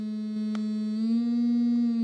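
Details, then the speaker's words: Framework Laptop speaker playing low test tones: harsh buzzy electric-razor rattle and distortion across roughly 150 to 300 Hz. "so between like between like 1 150 to 300 that entire range has this very obnoxious rattle"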